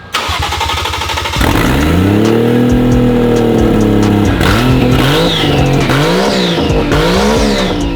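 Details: Lexus IS300 with a 1JZ-GTE swap running for the first time after wiring troubles; only the last 20% of throttle responds, suspected to need a relearn: catches and idles steadily, clean revs rise and fall with no knocks or misfires.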